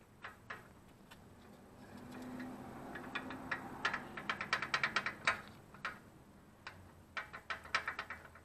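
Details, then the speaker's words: BMW Z3 roadster rear brake, caliper open: sharp irregular metallic ticks as the loose inboard pad is lifted and dropped; outboard pad solid. Same on both sides, suspected source of the rear rattle, partly fixed with new pads. "it's pretty interesting to note that it does this on the left side and the right side both and it creates noise when you lift the pad or drop the pad"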